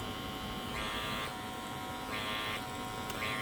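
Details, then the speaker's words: Andis Master cordless clipper whose cover lid has not been bent to fit: high buzz with an extra rattly overtone about once a second from the vibrating lid. It is louder than the one already fixed. "it's just a lid but now you can hear how much louder this one is cuz I've been that one a little bit"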